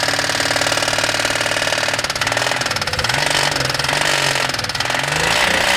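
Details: Toyota 1G-EU engine running: fast, regular tapping knock steady throughout; internal engine knock, source not pinned down.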